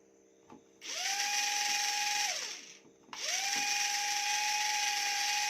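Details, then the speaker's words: E88 Pro toy drone with one propeller not spinning; high whine spins up, holds, then dies away after about a second and a half before restarting, owner thinks a connection is breaking and it stops working again. "Nah, sepertinya sedang terputus, teman-teman. Jadi, ini tidak akan berhasil lagi, teman-teman."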